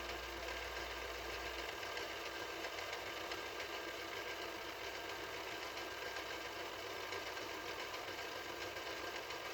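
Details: 1983 Mitsubishi HS-700UR portable VCR, after repair: smooth even whir and steady hiss on fast forward, no rattle or clicking; sounds normal, unlike the noisy rewind.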